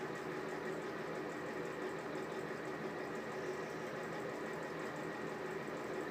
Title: Exhaust fan with bad bearings